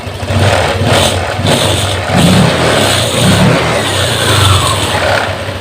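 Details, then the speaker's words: Honda Vario 150 injected scooter: idles evenly, picks up cleanly on throttle blips and settles back smoothly; previously fuel-hungry engine now normal. "kita hidupkan kita hidupan lagi teman-eman langsamnya dia enak terdengar enak ya terdengar enak ya teman-teman Berarti untuk motor ini sudah normal"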